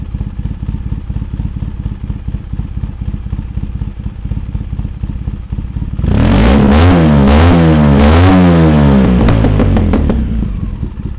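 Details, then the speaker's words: 2003 Polaris Sportsman 700 Twin ATV after Big Gun exhaust and Dynojet carburetor jet kit, first start on choke: steady lumpy idle, then deep, loud throttle blips rising and falling cleanly, no misfire or rattle; healthy running. "Okay, Billy Badass, I hear ya. And I think that's your name, Billy Badass."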